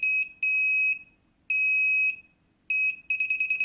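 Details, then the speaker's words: DIY MQ-5 propane leak detector on Arduino Nano, beeping faster nearer a leak: long high beeps about half a second each, switching to fast beeps late; first delay set too long, so it can pass a leak. "you'll have to play around with the delays because the delays can actually screw it up a lot so like right there it's actually connecting so it should've went to the fast beep right away so if your first delay is too long you might go right past it like that"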